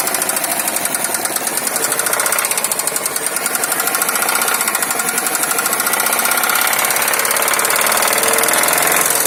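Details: Subaru Forester EJ205 at idle: a sharp, regular knocking of about four beats a second over a quiet idle, coming from inside the engine. Engine knock.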